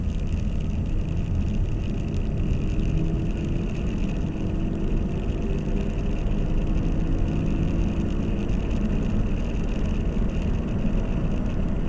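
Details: 2010 Nissan Qashqai, CVT, front-wheel drive, cruising: steady low drone under road rumble with a faint even hum; right front wheel bearing humming.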